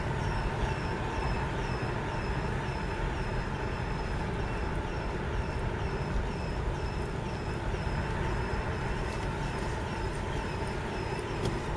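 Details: 2004 Passat 1.9 PD TDI rolling when cold, in gear or neutral; faint quick squeaks unaffected by rpm that stop below 1 mph, from exhaust gas whistling through the cracked flex section beside the catalytic converter.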